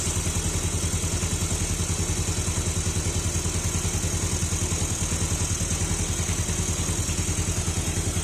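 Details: Fuel-injected motorbike with a hard-starting complaint, after replacing the CKP sensor, engine connected to a diagnostic tool: even steady putter at the normal 1200 rpm idle, no misses, knocks or rattles; normal idle.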